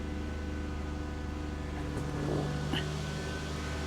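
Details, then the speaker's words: 2012 Nissan Altima SR V6 at first start after repairs, idling: a faint, steady whine from the CVT. The owner suspects the transmission fluid is not completely full yet. "Definitely hear a slight whine from up here. I am pretty certain that we don't have the fluid completely full yet."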